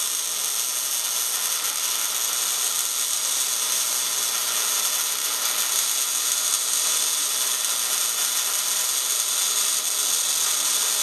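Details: MIG welding at 200 inches per minute wire speed and 16.5 volts, drag technique close in, with big nozzle: steady fine frying-bacon crackle, no popping or breaks; settings correct.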